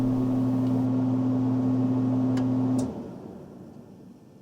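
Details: HVAC AC condenser unit after replacing the motor run capacitor: steady, even low hum with a firm mains-frequency tone, no rattle or buzz, then it winds down cleanly; normal running.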